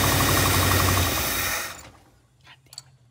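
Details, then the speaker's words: 1959 Lincoln with a new ignition switch: steady starter cranking for under two seconds, never catches; crank no-start, with a known-weak fuel pump suspected dead, or a stuck carburetor float or needle and seat. "okay well we've known the fuel pump is weak I'm curious if this it's now dead"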